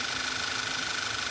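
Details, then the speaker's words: Car PCV valve: spring-loaded rubber diaphragm routes crankcase fumes into the intake manifold; the diaphragm breaks over time, and suction felt at its atmospheric vent means it is no good. Faint steady high whistle over smooth idle with hiss; fix is a new diaphragm or the whole assembly. "this vent here which basically just allows atmospheric air to push onto the diaphragm if you feel any type of suction here"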